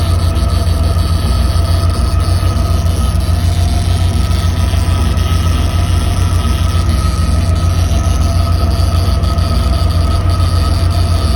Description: One of the fuel pumps has failed, confirmed with a quick ke-jet upper chamber pressure check and strange noises from the running pump.